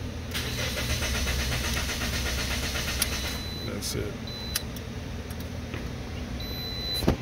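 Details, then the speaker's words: 2009 Toyota Matrix, crank-no-start with code B2799 and no security light. The engine computer had been replaced and the code box pulled. Steady, even cranking at about four turns a second that never fires; the immobilizer is blocking the start. "we got an interesting one for you boys 09 Toyota Matrix came to me like this all right so it's crank no start"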